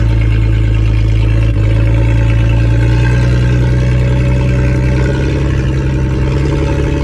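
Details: Ford AU Falcon off-road project, the day after new spark plugs cured a misfire: strong, steady engine note with a small step up in pitch, no misses or knocks; normal running.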